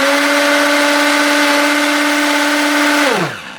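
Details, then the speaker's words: Tefal Optiblend 1000 W hand blender set, first test right after unboxing, run while held on: loud steady high motor whine at even pitch, spinning down smoothly on release; noisy but normal, louder in the jar. "Bu 1000vat olan model biraz ses çıkartıyor açıkçası Bu gördüğünüz gibi bu şekilde bir ses çıkartıyor"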